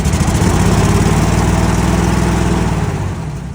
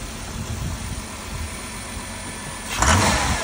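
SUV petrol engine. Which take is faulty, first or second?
first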